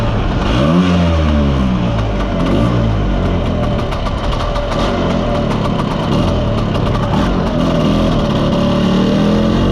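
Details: Mostly original Spanish Lambretta Jet 200 two-stroke scooter on test drive: revs rise once, then flatten into an uneven burbling splutter that never clears, won't rev; main jet too big, running rich.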